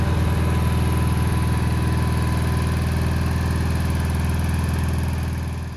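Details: 1987 Gravely Professional 18G riding tractor, Kohler Magnum 18 engine, run after replacing the gas cap fuel gauge: a steady, even single-cylinder thump around four beats a second, no whistle anymore; runs smooth and healthy.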